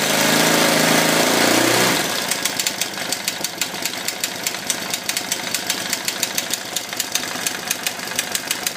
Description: You can hear loud and clear auto-decompression is clicking when enigne is idle.